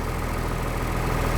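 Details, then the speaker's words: 1996 Blue Bird diesel bus idling in cold weather, cab items vibrating, 50 psi oil pressure, alternator charge coming up, half fuel; steady low diesel rumble with even firing and no knocks or misses, normal healthy idle. "See, a lot of stuff vibrating. This stuff too."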